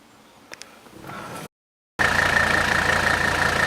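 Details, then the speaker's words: Original 1984 Mercedes 300D, 3.0-liter turbocharged 5-cylinder diesel at idle: even, steady diesel clatter, smooth with no misses or knocks; healthy engine. "can hear the car running there's the beautiful diesel sound"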